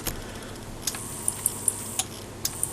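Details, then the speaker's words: Kenpro KR-680DC rotator on new DS-7R controller with PWM DC speed control, running in low speed mode, motor not yet serviced: faint motor run with light uneven clicks; quiet one direction, noisier the other, owner suspects a noisy or worn brush. "i've got i think i've got a noisy um brush because one way it's quiet and the way it's a bit noisy"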